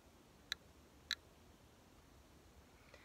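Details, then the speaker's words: GQ 500 Plus Geiger counter with two Geiger-Müller tubes, just switched on: sparse, irregular sharp clicks, roughly one or two a second in a quiet room; normal background radiation count. "so just some normal background radiation there"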